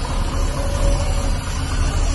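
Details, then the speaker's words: 1998 Chevy C1500 extended cab, 5.7 Vortec after the LS coil conversion with 24x and 0411 PCM swap, running the stock F-body tune untuned: heavy rumble that surges and lopes like a big cam. The idle is rough and choppy, pending a tune. "Turns on quick, but it sounds shitty. It sounds like it's chopping, boy."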